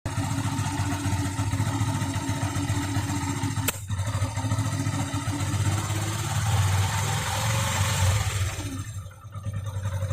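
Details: 2013 Yamaha FZ16 carburettor version, 34,000+ km, regularly serviced: small engine just off idle with occasional sharp exhaust pops, only around 2000 rpm, not at idle or above 2k; no black smoke, no carbon at exhaust; cause unknown.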